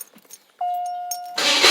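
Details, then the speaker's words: 1980 Lincoln Continental V8 after replacing the ignition coil and starter solenoid to cure a no-start: a steady chime, then a short crank and the engine fires straight away into a strong, even run; it starts cleanly. "Oh wow. Fired right up, but it was way too easy. Way too easy."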